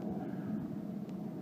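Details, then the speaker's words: Craftsman 3000 GT series rider with 23 HP Kohler Pro that only clicks, solenoid terminals bridged with a wrench: steady low electric whirr as the starter spins; starter motor good, solenoid bad mechanically. "we know the starter motor is good my diagnosis is the starter motor itself is probably good"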